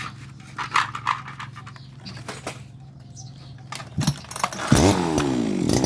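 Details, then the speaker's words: Type 411 two-stroke grass trimmer that was hard to start and surged, after a carb clean and a replaced reed valve: it starts, blips once, then settles into a steady, even, quiet idle. "เราเปลี่ยนแป้นหลีดเข้าไปก็สตาร์ทเครื่องเดินเบานิ่งเงียบครับ"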